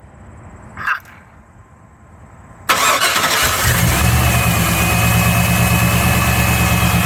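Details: 1996 Chevy Tahoe 5.7, remote start after replacing the distributor cap and rotor (old one got wet): quick crank and catch, then a smooth, even idle with no misses or knocks; it starts and runs healthy.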